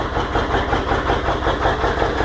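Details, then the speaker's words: 1997 Ford F250 Powerstroke diesel with a hard-start problem, just after starting with some smoke: loud, lumpy, irregular idle; owner suspects it is running on about six cylinders, cause unknown. "she's definitely a rough runner. So there she is. Sounds like she's running on probably 6 cylinders, I don't know."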